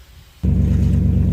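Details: 2012 Dodge Durango after thermostat replacement and coolant top-off: engine catches and settles into a smooth, even low idle with no knocks, misses or squeals, running at normal temperature.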